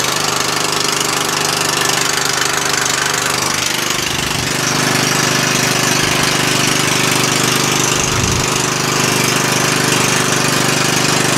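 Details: Murray lawn tractor single-cylinder engine after a valve adjustment; it spins over easier. Even beat at about 3.5 pulses a second, steady with no misses or clatter; the engine runs fine, though the axle does not turn in gear.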